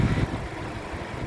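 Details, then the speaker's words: 2015 Suzuki Ertiga 1.4 GX manual, 87,xxx km, 1400 cc four-cylinder, front-wheel drive: smooth, constant idle hum with minimal vibration and no knocks or misses, a healthy engine. "Nah, untuk memperhatikan kondisi mesin masih bagus, kita bisa pertama kita dengarkan ritme suaranya. Jadi ritme suara mesin yang bagus, dia suaranya masih halus, konstan, getaran mesinnya juga minim."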